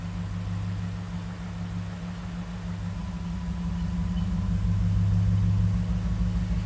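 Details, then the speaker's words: 2011 Ford F-150 after the fuel pump relay fuse was replaced, which cured the crank-no-start; dash message still showing: steady, even low engine hum with a smooth, regular beat and no knocks or misses; normal idle. "So right now it's cranking up and doing what it's supposed to be do"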